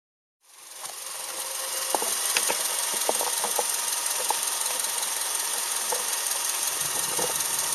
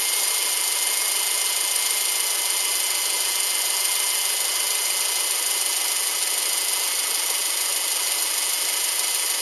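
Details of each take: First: Subaru Outback EJ253 flat-four petrol with damaged engine, before rebuild: idle with irregular sharp knocks and rattles over a hissy, bright running noise. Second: Subaru Outback EJ253 flat-four after rebuild: steady even idle hum with no knocking or ticking, sounds healthy.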